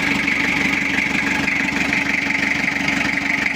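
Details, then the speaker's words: Toyota Kijang diesel after cylinder head work for coolant overflowing to reservoir, not yet warm: harsh, dry clatter with uneven beat, running rough; not yet set. "hidup ya Lur tapi suaranya itu masih agak kasar ini belum kita setting"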